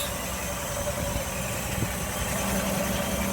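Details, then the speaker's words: 1960 Chevy Biscayne 235 six, rebuilt after a mislabeled rod cap caused number one rod knock and low oil pressure, idling at a stop on a 100-mile test drive: smooth, even low rumble, no knock, tappets now quiet, wearing in well. "Can't even hear the tappets anymore. She's wearing in good."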